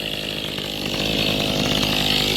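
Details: Mantis tiller two-stroke engine after carburetor fuel pump diaphragm replacement, idle just lowered a little, owner noting it almost wants to stall: settles into a steady, even buzzing idle with no stumbling or surging; normal idle.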